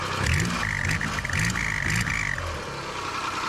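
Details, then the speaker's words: 1995 Nissan Pathfinder WD21 engine first started after timing belt replacement, running without cooling or accessory belts: rough idle with whirring top end and uneven puffing tick from an exhaust leak toward the back. "Hear that exhaust leak back there?"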